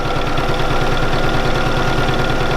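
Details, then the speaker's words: Bernina 475QE sewing machine doing free machine embroidery in a hoop; fast, even stitching rhythm with steady low hum, no knocks or catches; sewing smoothly and healthy. "Oh, listen to that, lovely and smooth. Now, that's sewing rather lovely."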